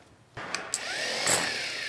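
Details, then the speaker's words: 1932 Ford Model B four-cylinder, rebuilt engine: starter bench-tested before installation, after bushing replaced and cleaned up; snaps on and spins up to a strong, smooth whir with clean rising pitch, no grinding — healthy starter. "oh yeah sounds like it's got lots of Jam so we'll put it in and see how it is"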